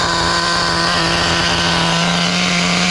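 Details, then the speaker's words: Four-wheel-drive RC nitro car, after clutch repair (bad clutch spring), wheels off the ground; high, steady nitro buzz at constant pitch, rich exhaust, no cutting out or sagging: running normally. "Clutch repair complete. Nice rich exhaust coming out of the pipe. Running good."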